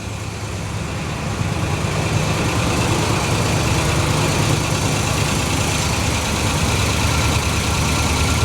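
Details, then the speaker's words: Long-stored 1970s Cadillac convertible V8, first start after revival, water steaming off the engine: steady, even idle with smooth low rumble and no knocks or misses; sounds healthy. "Yeah, it sounds healthy. Real healthy."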